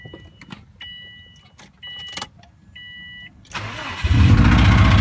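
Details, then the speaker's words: Subaru bought off Craigslist with a blown engine, startup after warning chimes; harsh, rapid metallic clatter over a rough idle, severe engine knock, considered to need a complete new motor. "It does start and it does run, but it sounds very unhealthy."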